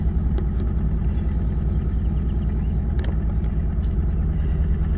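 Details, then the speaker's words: 1981 Toyota Tercel, carbureted, just jump-started: steady low idle with an even, slightly lumpy beat and no knocks or squeals; cold engine warming up normally. "got it come on and it's on [Music] you guys hear that i think i have enough fuel let's let it warm up a little bit"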